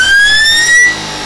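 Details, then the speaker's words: Electric motor on a beta-test speed controller, checked against a standard Kelly controller: holding the throttle open does nothing, but releasing it brings a rising whine, then the motor runs full speed with no throttle control, repeating every time. "you hear the whine and then it fires right up and it just like, it's just full bore. Shouldn't be doing that. It should be having some throttle control here."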